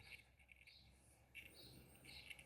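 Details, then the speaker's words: Electrolux MEF41 microwave control board, powered on the bench, display dead: faint irregular high chirps from the buzzer while the board otherwise does nothing; cause suspected, not confirmed. "a foto e o mas não acende fica só esse barulhinho aqui no búzio G1"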